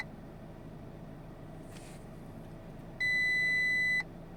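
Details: 2021 Audi Q3 2.0 TFSI Quattro, about 2.5 years old, that won't start and shows multiple dashboard faults: one steady chime of about a second in a quiet cabin with the engine off, a warning from a weak, failing 12V battery.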